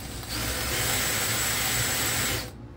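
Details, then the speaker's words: Drill-powered chainsaw attachment running: coarse rattling grind for about two seconds though the chain isn't too tight; grinding chain noise, owner suspects it just needs lubrication. "something's already making noise I don't like on it the blade is not too tight what's wrong with it I think it just needs lubrication maybe if we put some oil on it would stop making that noise"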